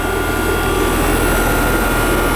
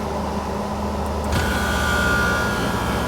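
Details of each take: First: Old Trane condensing unit reported not cooling, outdoor coil cleaned by owner's son who suspected capacitor: constant hum and airflow whoosh, no knocks or cycling; refrigerant charge fine, warm air discharged, running normally. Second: Trane condensing unit not cooling the house, disconnect plugged back in, refrigerant charge unknown: fan hum, then about a second later a deeper steady drone as the compressor starts and keeps running.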